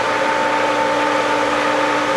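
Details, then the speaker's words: Pool pump at spring opening, just after priming, water flow picking up: steady drone with a rushing hiss. The pump is still working trapped air out. "Yes! Okay, that's got air to work out."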